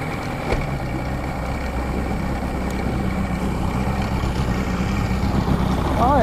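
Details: Mercury Classic 50hp outboard after installing new stator, trigger and power pack and setting timing: steady even idle with faint hum, slowly building, no misses or knocks; running properly.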